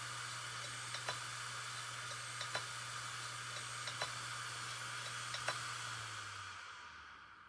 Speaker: This is what it looks like when you have basically the logic's gone, and that is what is happening when you hear that telltale noise.